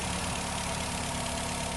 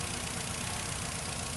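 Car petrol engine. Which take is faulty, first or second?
second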